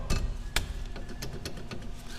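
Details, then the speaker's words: Renault Duster 1.6 16V K4M, brake caliper rocked by hand: sharp metallic knocks from play in the worn guide pins; pads still good; fix is bushing the caliper bracket pins, postponed. "pinça Bate bastante tem folga aqui no pino teria que tirar o cavalete e largar o cavalete com os pinos para fazer embuchamento"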